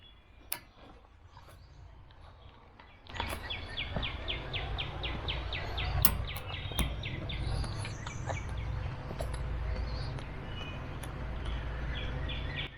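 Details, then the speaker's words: RV gas refrigerator after shore power is switched off: quick, even ticking about four clicks a second over a low rumble as the igniter sparks to light the burner; normal, ticking should stop once lit. "now if you've got a gas refrigerator like I do I'm gonna listen for that a ticking sound and make sure that that my actual refrigerator lights"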